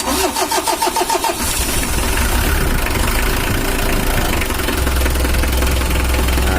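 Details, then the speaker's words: 2013 Mitsubishi L300 diesel, still with blow-by, after adjustment: brief cranking chug, quick catch, then a steady, even idle clatter; idle lowered and stable, no longer shaking; normal start and idle. "mesinnya udah stabil langsamnya udah kita kecilkan tidak goyang kayak tadi"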